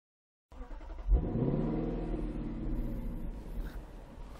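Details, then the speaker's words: Lexus LC 500 Convertible with a 5.0-liter V8 at start-up: it cranks and catches with a loud exhaust bark, then settles into a deep, burbling fast idle. The bark happens whether the engine is cold or hot, and it is normal. "no matter if the engine is cold or hot there's always that exhaust bark could be a bit less it's fun but not always"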